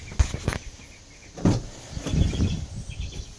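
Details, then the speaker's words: 2016 Ford Transit 350 diesel 15-passenger van, 12,000 miles, after greasing the rear sway bar bushings on both sides: dull thumps and body creak when stepped into and rocked, rear squeak gone. "put grease on it and pop it back in place and after I did those both on both sides now we have no more squeak"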